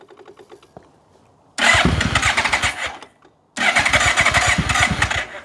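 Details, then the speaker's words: 1997 Yamaha Royal Star Tour Classic XVZ1300 motorcycle, genuine first cold start on a cold morning with a little choke: fuel pump ticking, then engine cranks and catches cleanly in two strong bursts, idling just under 1,000 rpm; normal cold start. "Cold morning here in Canberra at the moment, so maybe just a little bit of choke."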